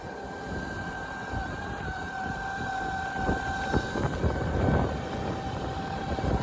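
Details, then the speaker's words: Sinclair C5 electric trike with twin-motor upgrade, driving on the road with the second motor kicked in: clean, steady motor whine over road rumble with no grinding or surging, and acceleration noticeably improved. "You can hear that as a noticeable improvement on acceleration."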